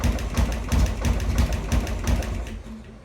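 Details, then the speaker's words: Harley Sportster converted to 1275cc with a newly installed Dynatek ignition module, on a 30-second break-in run after cooldowns, with valve ticking heard earlier: lumpy, uneven stumbling V-twin idle, so it runs rough. The idle speed screw was later adjusted. "that sounded pretty rough"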